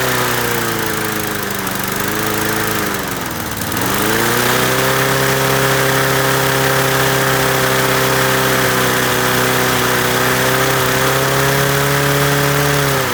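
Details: Masport 21-inch self-propelled mower, Briggs & Stratton Quantum 6hp, first start after new blades: runs up hard and stays pinned at high steady revs, no return to idle; owner suspects throttle stuck wide open on governor side, not carb.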